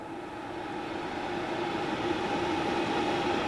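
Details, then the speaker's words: RadonAway RP145 radon fan running normally: steady smooth rush of airflow with a soft even hum, no grinding, squeak or rattle from the bearings, unlike the failed fans. "but we don't have a bearing noise like we have with this one."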